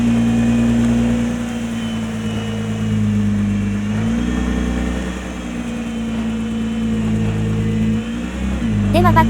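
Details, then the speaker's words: Nissan GT-R R35 (MY20), after cleaning rust from left-front hub/bell housing mounting faces; reversing slowly on full right lock: smooth even engine and tyre sound, former left-front clicking gone. "バックでもカチカチ音は鳴っていません。"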